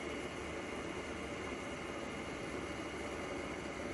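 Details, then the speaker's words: EGO 56-volt lawnmower battery charger after cooling fan replacement, battery plugged in: steady even airy whoosh with no ticking, rubbing or wobble; fan running normally. "Let's plug this battery in. Ta-da! It's working. Isn't that cool? So, let's see here. That's your fan."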